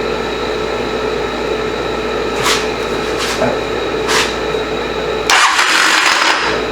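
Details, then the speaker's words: 1985 Honda CMX450 Rebel, off the road 15 years, cranking with a supposedly new starter clutch, good compression and spark present: uneven cranking with sharp metallic clatter bursts and no catch; cause unknown. "I know some of these starter clutches on these bikes make all kinds of noise. So it's supposed to be a brand new starter clutch."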